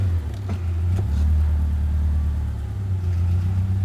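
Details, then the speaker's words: 2002 Subaru Impreza (non-turbo) with exhaust and muffler fallen off and the ABS light on, being checked for a broken CV axle: steady engine drone in Drive with no grinding. The earlier loud noise is gone. "all right well i don't hear the crazy noise i heard before so i'm going to let out on the brake"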